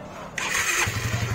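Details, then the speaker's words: Suzuki Satria FU 150 (about 2014) after replacing the tensioner that caused a rattling tick and finding a loose cover bolt: starter whirr, then even, quick single-cylinder putter with no chain rattle; now smooth and healthy. "Ini sudah kita ganti dan mesinnya sudah oke, sudah halus."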